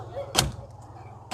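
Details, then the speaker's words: Hyundai Eon left-hand door central lock actuator after repairing its broken motor bracket with a cable tie: two crisp single thunks about a second apart, no buzz or rattle; locking now works normally. "यह lock जैसा कि आप देख रहे हैं यह मेरा ठीक हो गया"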